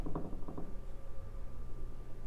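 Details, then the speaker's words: Loud hollow knocks through a lower-level wall, then a steady whine, as the dishwasher runs under the kitchen sink of an old house. Water hammer from supply pipes whose clamps likely fell off in the walls or ceiling. "so this is actually in the lower level of the house uh one of the walls where you can hear the banging fairly loudly but uh"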